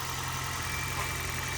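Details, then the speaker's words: 2020 Toyota Corolla hybrid, 481,000 miles, original lithium-ion hybrid battery, started cold after sitting 3 weeks in about 19–26° garage; short smooth steady low hum while engine warms up rather than charging hybrid battery, no knocks or rattles; normal cold idle. "it does not need to continuously charge charge the Hybrid battery set up to a certain point now it's only concerned with warming the engine up"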